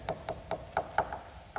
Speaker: you hear a big change there and that's where the outer skin of the winged skin is no longer attached to the foam inner the only way to repair that is to remove the skin and replace it